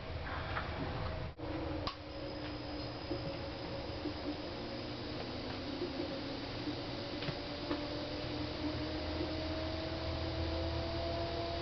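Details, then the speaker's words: GE Profile PFS22MISBWW refrigerator (bought 2007) that stopped cooling, with the new control board fitted: faint hum and hissing that fades after a minute. The compressor vibrates weakly and stays cool; the owner suspects the compressor, relay/overload/capacitor or a refrigerant leak. "can feel the vibration of the compressor but it doesn't just doesn't seem to have the the power that it seems like it would normally have"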